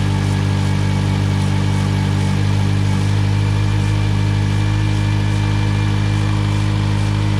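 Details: 2008 Mitsubishi Lancer after a new water pump, thermostat, coolant hoses and an oil change, idling while the cooling system bleeds with the heat on full: a steady, even low hum with no knocks, ticks or squeals; healthy idle.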